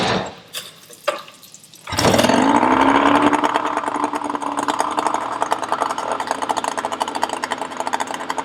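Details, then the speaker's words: Yamaha 20hp two-stroke outboard after head gasket replacement (compression 100/95, ran too fast, backfired): after a couple of pulls fires and races high with uneven popping and stumbling about three per second; still rough running with backfiring, timing to be checked. "it still runs terribly so it hasn't solved the problem but next week we'll look into the timing and all sorts of other issues that might be causing this backfiring"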